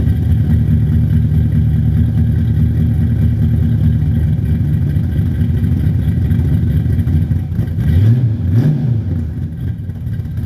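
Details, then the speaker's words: Cold start of a Mercedes W124 with a 5.0 L M113 V8 on a Weiand 351 Cleveland intake, Demon 650, big Catcams camshafts, COMP springs, stock bottom end, Flowmaster exhaust: deep choppy loping idle with throttle blips, healthy on aggressive cams. "Now this is cold start, so these cams are significantly more aggressive than the old ones, but we will go ahead and fire it up and let you hear it, and I'll let you see the engine."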